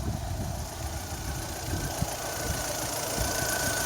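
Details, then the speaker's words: 2005 Mini Cooper R50 petrol idling after a thermostat change, temperature still climbing, check engine light on: a faint steady whine from the water pump, another sign the pump is due for replacement. "you can actually hear the water pump making noise too so that's another indication"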